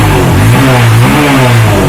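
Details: Honda Verza FI single-cylinder motorcycle started and running with the battery removed: a steady, even low drone with no misses or knocks. It is running normally, though running without a battery is said to be less stable.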